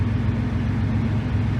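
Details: V8 on a lawn mower carburetor with auto-tune valve trick holding about 14.5 AFR: deep, steady burble with even unbroken rhythm and no misses; idling smoothly after mixture correction.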